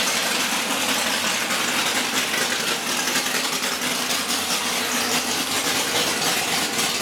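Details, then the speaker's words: Bullock Camaro V8 first start after about 8 years sitting, primed, no leaks, oil pressure checked: loud, steady idle with even, crisp exhaust beat, no misses or stumbles; running healthily. "AFTER 8 YEARS, THE BEAST IS AWAKENED."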